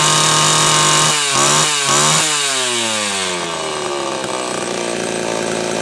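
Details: Homelite Super XL chainsaw after repair of a loose cylinder nut (cylinder gasket issue) and filed, gapped points. Crisp high-revving two-stroke scream winds down smoothly with no sputter or hesitation; running healthy, still being retuned from slightly lean.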